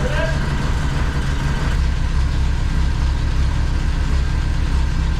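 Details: Saab Sonett first start after flipping the distributor and cleaning the plugs: low steady idle with an uneven, stumbling beat like one cylinder dropping out, owner suspects number one; misfire cause unconfirmed.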